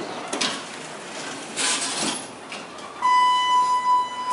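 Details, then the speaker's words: Dover hydraulic elevator in a parking garage, heard from inside the car: the pump motor hums steadily with a thin whine. The car is parked, and the motor runs without moving it to maintain oil temperature (viscosity control); normal operation. "listen see that you can hear the hydraulic motor going"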